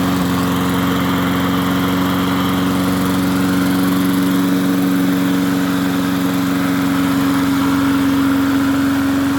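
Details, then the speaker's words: MTD 22-inch push mower, model 11-A084E029, after the spark plug wire was reconnected: a steady, even high drone at constant speed with no surging, popping or misfire. Owner notes slight vibration, possibly a bent crankshaft judging by the blade. "bad not bad at all well it's amazing what happens when you hook a spark plug up and it sounds a little bit better now"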